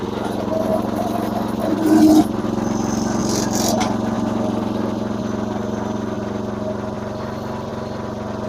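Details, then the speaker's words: Massey Ferguson MF-7 tractor with new carburetor and fuel lines runs with a steady but slightly uneven, hunting beat; it loses power under load mowing. Owner plans new points and condenser but suspects a governor issue. "hopefully replacing the points to condenser actually solves that problem but I'm not sure it will it sort of seems like it's a govern issue"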